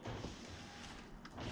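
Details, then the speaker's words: Escalade/Tahoe/Yukon driver door with no power: a broken wire in the door hinge is bypassed with a jumper, the switch clicks, and the window motor gives a brief, steady whirr through its travel without binding; windows, locks and mirrors restored. "as soon as i poke this guy in there you can hear that the switch clicks and lo and behold"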